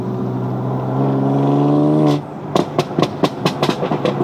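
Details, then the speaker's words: BMW M4 (salvage rebuild) in M mode with exhaust valves open, revs held then off throttle, window open: deep loud drone then sharp irregular crackles and pops; loud sport exhaust working normally. "Basically, it sounds like the exhaust just fell off and it's dragging along the floor. They call that ASBO mode, don't they? Wake up the neighbours mode."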